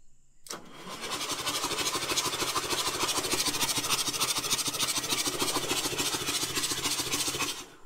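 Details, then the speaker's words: 1978 Insley H-800 diesel excavator, starter refitted and injectors removed, cranks evenly at about three pulses a second with no binding; fuel came from every injector port, so cranking is normal. "all right sweet I saw fuel coming out of every one of these so the engine cranks"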